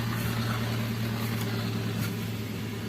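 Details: Toyota Avanza power steering pump after repair (hardened O-rings, dirty oil and a clogged filter had caused humming), engine cold at about 1000 rpm: even idle with only a faint steady pump hum and no groaning; the pump sounds healthy.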